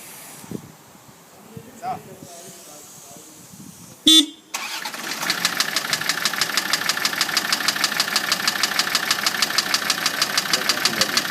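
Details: Land Rover TD5 diesel starts and settles into idle with a sharp, steady knock ticking quickly over the engine note; owner asks what causes the knocking, cause unknown.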